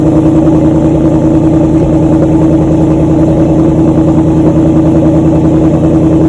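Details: 2014 Ford Mustang GT V8 idling with newly installed LTH over-axle pipes feeding GT500 mufflers, checked for leaks at the hose-clamp joints; loud, deep, steady burble with no ticking or puffing from the pipes. Normal idle.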